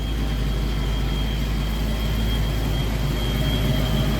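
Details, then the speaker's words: 1991 Ford Mustang after Holley Terminator X fuel-injection install, first running after injector duty-cycle troubleshooting: smooth, even low rumble with steady beat, no knocks or misses; motor sounds great, running normally. "That it is running, motor sounds great in it."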